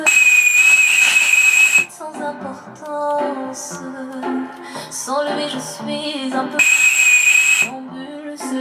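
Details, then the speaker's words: BM54 radio amplifier module that has lost part of its software programming, before reprogramming: music with a thin high whistle cutting in and out and crackling, with bass dropping out in the upper half. "пускаме го ще видите аномалиите свири на c ch в момента чувате ли звука от нула до средата пращи"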